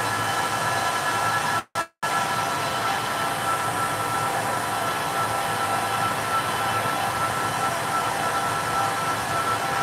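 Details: Server rack in a data center: steady loud rushing fan roar with a faint high whistle and no slowdown; the fans are at full speed because a power supply is offline.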